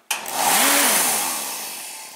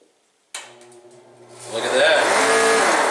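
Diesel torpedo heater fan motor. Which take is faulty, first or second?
second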